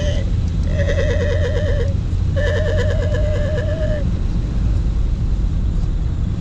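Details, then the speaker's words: Driving on the motorway: over heavy road rumble, a high, wavering squeal comes in two bursts of a second or more. The drive belt is slipping and squealing, and soap is suspected to have been put on the belt. "so we're onun the motorway as you can hear you can hear the squeaky"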